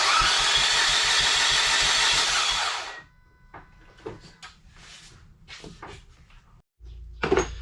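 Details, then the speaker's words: SRT-4 engine cranking for about three seconds to build oil pressure before first firing; steady, fast starter chatter with no firing, normal cranking. "i'm going to crank it over and get the oil flowing through it before i fire it up"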